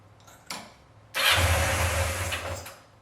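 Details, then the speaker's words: 1986 Yamaha FZ600 four-cylinder under restoration, not run in 15–20 years, fresh oil, fuel just fed to the carburetors: after a couple of cranking bursts it catches and settles into a steady, even idle; it starts and runs. "See if we can start this bad boy. What do you think? Yes!"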